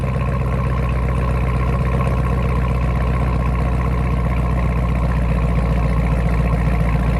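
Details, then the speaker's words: Cold start idle of a 6th Gen Camaro ZL1 supercharged V8 after fitting a Roto-fab Big Gulp cold air intake and ZR1 LT5 throttle body, no tune: steady lumpy idle with a faint high blower whine on top; healthy, more whine than before. "You can definitely hear more of a whine, and then I will take you guys out and we'll really be able to listen to it."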